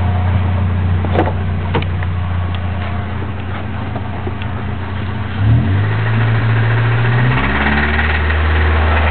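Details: Chevrolet Cavalier petrol engine idling and revving with a moderately regular knock running through it; engine knocking again.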